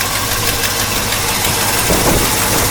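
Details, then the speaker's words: 1964 Mercury Park Lane Breezeway V8, started from completely cold, idling with a hissy, fast ticking puff over it; exhaust manifold leaks, probably one on each side. "one thing still got to do there's still those exhaust leaks no good think there's one on each side actually"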